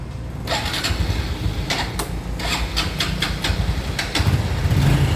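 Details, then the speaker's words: 2014 Honda Wave110i: hard to start, dies when throttle is released, won't rev and surges. Engine coughs and catches unevenly over several start attempts with irregular bursts and a lumpy idle. "คันนี้นะครับสตาร์ทติดยากนะครับและผ่อนก็ดับนะครับบิดก็ไม่ขึ้นนะครับวูบๆนะครับ"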